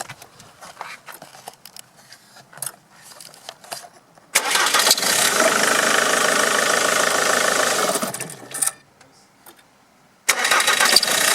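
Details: Ford Mondeo Mk3 2.0 Duratorq TDCi diesel started twice: a quick, light chirping over the harsh running sound at every start-up.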